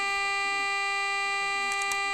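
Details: Homemade AM transmitter in a light bulb housing, modulated by a temporary low-tone oscillator, heard on a portable radio: steady, clean, buzzy tone holds even; working, with frequency risen to about 1,600 kHz from 1,400 kHz.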